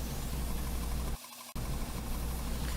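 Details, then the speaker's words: Rehabbed 1975 Powermatic 30A belt and disc sander, test run with guard on while sanding a small piece of wood: steady low motor hum with even belt rush, a short dip, then smooth again; tracking well, motor doesn't bog down. "everything seems to be tracking well just a little piece of wood here to test with didn't want to make a lot of dust so i didn't leave it on there very long but motor doesn't bog down at all"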